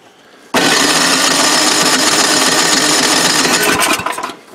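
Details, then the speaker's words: Old Craftsman snowblower, primed three times, full choke: electric starter whirs steadily about four seconds, engine never catches; cranks but won't start, later traced to carburetor. "mystery why isn't it starting now let me let the guests sit a little bit again"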